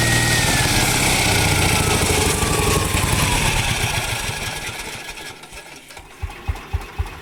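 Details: 1949 Ransomes MG5 crawler tractor on its first start after the rebuilt magneto, found 180 degrees out of phase, was corrected and fresh fuel added. It fires with a strong even beat, then slows to regular chuffs about four a second with no misses: normal running.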